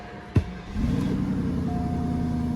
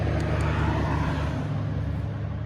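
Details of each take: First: Northstar, previously P0300/P0121 with surging idle, on a small amount of gas because of a fuel leak: a brief start-up flare, then a steady, even idle with no surging; a normal idle. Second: 2002 Northstar throwing P0300 random misfire and P0121 throttle position codes: a low drone that wavers in loudness; the owner suspects a vacuum leak, possibly at a vacuum tee/elbow; rough idle.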